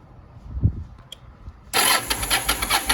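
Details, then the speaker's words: 2001 Yamaha 1100 motorcycle, carbs recently cleaned, has spark and fuel; starter whirs with fast even pulses but engine never catches, owner suspects flooding and fouled spark plugs, about to replace plugs. "won't even start. It just turns over. So I think I flooded it."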